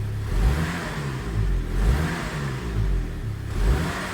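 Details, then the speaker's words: 2002 Saab 9-3 SE 2.0t LPT: slight throttle blips give a rising, falling woo whoosh; worn turbo, believed to have damaged compressor blades, possibly from running low oil pressure. "A bad turbo with that sound tells me that the compressor blades has been damaged."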